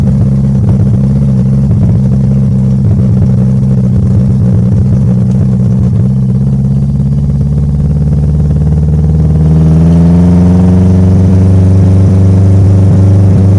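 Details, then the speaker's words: Honda K20Z3 (KRX, RBC manifold believed), all-motor, untuned base map started from zero tables, cruising while rpm and load rise linearly: steady drone climbing in pitch with uneven stuttering edge; engine breaking up under load from untuned base map. "So, he's uh revving linearly and and adding load linearly while we're cruising. So, that's why it's kind of breaking up."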